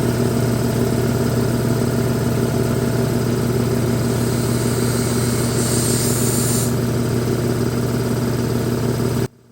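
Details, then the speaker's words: Rebuilt old air compressor at first start-up, direct start on plugging in, no guard fitted yet: smooth, steady low drone with even pumping rhythm, no knocking or rattles; remarkably quiet, normal running. "one big thing I can say is that it's remarkably quiet compared to what I expected"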